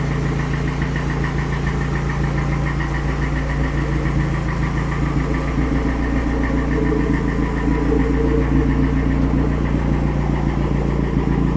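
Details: Toyota 3S-GE turbo petrol engine at idle, just started, with an uneven knocking pulse over a low rumble; the cause is unclear.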